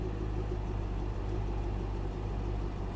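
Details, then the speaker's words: Chevy SS 6.2-litre V8, stock airbox, low fuel, at idle; low, even rumble with soft steady beat and no ticking or knocking: very quiet, normal idle, though the buyer thinks the idle seems somewhat inconsistent. "it's actually very very quiet"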